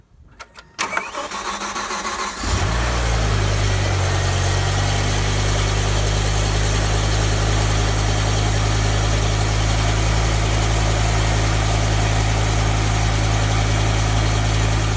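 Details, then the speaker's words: BMW E60 M5 with the S85 V10 and SMG 7-speed, cold start: a brief crank, then a loud, steady high idle with a hard, diesel-like rattly clatter from the engine and exhaust. This is normal for this car when cold. "not only do they have a noisy exhaust note but they actually sound like a diesel engine on the front and the diesel engine they get very rockety and kind of make a lot of noise"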